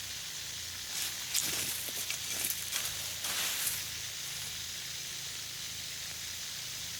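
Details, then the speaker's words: Backyard drip irrigation system, hard-to-locate hiss that seems to move with the listener: steady rhythmless high water hiss swelling as the mic nears; an overflowing bubbler pushing too much water. "that's odd when I'm over here it sounds like I'm over there like like it's leaking over there when I'm over there it sounds like it's leaking where I'm at"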